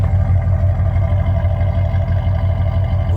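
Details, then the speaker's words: Cadillac Brougham (hard-top conversion using 1980-83 Sedan deVille parts), new muffler fitted after a timing issue, mic close to the tailpipe: deep steady burble, even pulses about three a second, no blowing or rasp; normal exhaust note. "that's the new muffler you can hear after we blew it apart that timing issue"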